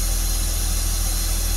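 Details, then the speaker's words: 2003 Porsche Boxster, parts for a tune-up not yet fitted, dirty air filter found: an even steady idle with no missing now, but a constant airy hiss, as if sucking a lot of air; cause unconfirmed. "It definitely doesn't sound like it's missing right now. And it is sucking a lot of air, it sounds"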